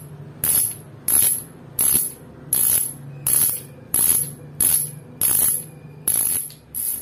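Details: Upgraded Fastace bicycle hub, a cricket-sound type with 3 pawls, wire springs and 6001 bearings: loud, crisp ratchet clicking in bursts about every 0.7 s as the wheel is spun indoors. A healthy freewheel that sounds clearly different after the upgrade.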